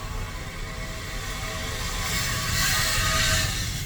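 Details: Tesla Model X rolling with a hissing, high scraping screech rising and falling, caused by a rock rubbing against the brake rotor.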